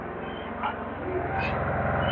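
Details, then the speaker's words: Craftsman 2300-watt gas generator, after over a year boxed, running on regular gas: steady, even, very quiet drone with no misses or knocks until it cuts off; normal, healthy running. "it's a very good generator. Does a lot of stuff. Very quiet."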